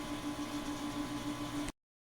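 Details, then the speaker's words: 2004 Englander 25PDVC pellet stove, original 10-year-old auger motor, right after oiling and greasing its bearings: steady even hum with faint pulsing, no groan; slight strain remains but far less than before. "and here we are burning again and you hear that motor it does strain but it doesn't sound half as bad as it did prior"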